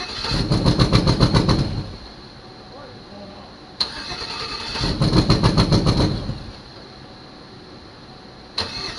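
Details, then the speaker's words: 2006 GMC Envoy Denali bought at auction, first start attempt with some wires unhooked: two bursts of steady cranking, about 3.5 turns a second, no firing; camshaft problem guessed, unconfirmed. "it's funny how it's cranking up it's misfiring and then it shuts off"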